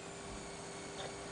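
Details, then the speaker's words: Zalman ZM-1000HP power supply, thin steady high-pitched coil whine/squeal over soft fan hiss under load (ATI Tool) with Vsync off; likely noisy capacitor or inductor, reduced with Vsync on. "there is a loud annoying noise that goes along with this picture here coming directly from the power"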